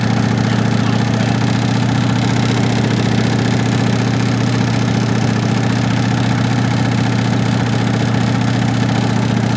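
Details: 1965 Ford Mustang coupe V8 run with transmission removed, no exhaust, air cleaner off, fast idle held: loud open-pipe note, steady rapid pulsing with deep bottom-end rap; felt at oil pan front, oil recently changed, cause not found.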